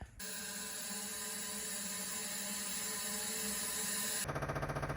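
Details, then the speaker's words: Push-pull transfer pump draining water-contaminated gas from an old Ford Bell phone van's tank after 11 years' storage: steady high whine, then rhythmic chugging about four times a second, surging; pump working normally. "okay you can hear the pump chugging away the tank has been completely drained but the push pull pump you know it causes quite a uh surge"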